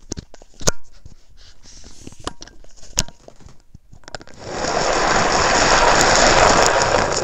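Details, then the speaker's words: Shimano Stradic 5000 FK spinning reel, formerly seized and rusty, cranked by hand: a few clicks then harsh, even grinding rasp throughout; drive running rough, usually bearings, possibly a broken gear; needs rebuild. "Usually this is caused by bearings. Sometimes it could be a broken gear in there that causes it to seize up."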